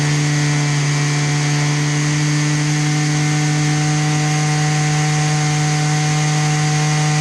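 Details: Husqvarna 223L weed eater after a Zama carburetor rebuild, started without choke: steady, high, even buzz with no surging or stumbling; the two-stroke runs cleanly at constant speed.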